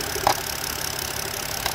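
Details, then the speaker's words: 2008 BMW N52 petrol engine misfiring with rough idle, shaking: hissy idle with brief stumbles, PCV valve whistling at times; too much crankcase pressure from a faulty crankcase ventilation valve. "so this is the crankcase of regulation ball and even what whistling was making a whistle noise but it's not right now right there's a little bit of weasel in the ball but he is too much crankcase of pressure on this thing"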